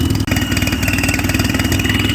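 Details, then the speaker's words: 1958 Oliver 550 gasoline tractor, four-cylinder, running poorly; lumpy, slightly uneven idle with a hiss that smooths out when WD-40 is sprayed at the intake port. Vacuum leak where the intake manifold meets the head. "What we're going to do is spray WD-40 around the intake port here. And you hear it smooth right out. So we've got a big leak where the manifold is attached to the head."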